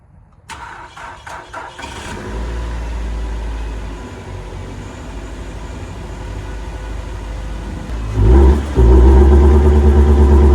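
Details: Nissan Altima after an intake hose replacement and a computer reset by battery disconnect: it fires into a low steady idle, but throttle blips lift the revs only slightly before they flatten near 2000 rpm; cause unknown, engine possibly cooked.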